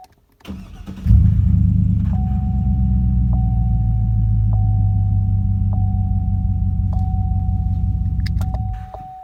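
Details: 2006 Chevrolet Trailblazer SS after replacing faulty ignition switch with new GM part (had stalled, no-crank no-start): cranks once, catches quickly, smooth steady idle under slow chime; normal start.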